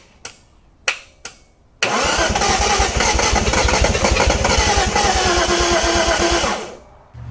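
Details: 1971 Datsun 240Z on its first restoration start, after the starter's stuck brushes were freed: a few starter thumps, then it fires and runs ragged about five seconds before dying. It catches but won't keep running, and the ignition timing was then changed.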